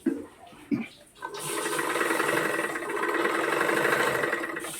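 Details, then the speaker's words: Single-needle sewing machine after the third noise-reduction tip (needle bar part reinstalled): steady even whirr with light fast ticking, no longer the earlier clattering; much quieter. Normal running. "കണ്ടോ നമ്മളീ ആദ്യത്തെ ടിപ്പും രണ്ടാമത്തെ ടിപ്പും മൂന്നാമത്തെ ടിപ്പും കൂടെ നോക്കിയപ്പോഴത്തേക്കും നമ്മുടെ മെഷീന്റെ സൗണ്ട് ഭയങ്കരമായിട്ട് കുറഞ്ഞിട്ടുണ്ട്"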